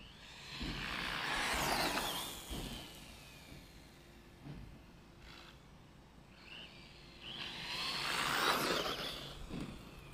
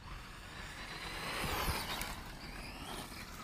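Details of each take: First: Tekno EB410 RC buggy brushless motor and ESC: stutters, chirps and stalls at low throttle, then smooths out and surges; chirping started on jump faces and worsened; gearing and diffs fine, faulty sensor wire. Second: Tekno EB410 RC buggy, after fixing an electrical fault that caused chirping and a dead bottom end: electric motor whines up cleanly under hard throttle with instant power, no chirp or stutter; normal smooth acceleration.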